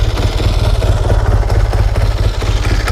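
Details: 1954 Triumph Tiger 500 twin, dead cold start after sitting a long time: even, deep chuffing idle about two pulses a second with steady firing; clean and healthy.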